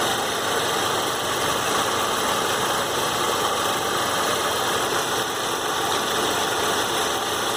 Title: Warm Saab 93 2.0t clicking sound at 3000 rpm